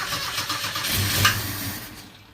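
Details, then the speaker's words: 1977 Ford Escort Mk2 after storage, with WD40 sprayed down the spark plug holes: the engine cranks, catches and revs briefly, blowing a bit of smoke, then the sound dies away within seconds: engine starting. "she's nearly a goer. I say that's going right."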